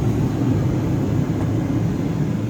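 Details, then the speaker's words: 1998 Jeep Cherokee after blower motor replacement, first test: steady, low, even whir of air, no squeal, rattle or ticking, very quiet. Normal blower motor operation. "take a look out here. Jeez, is that quiet or what"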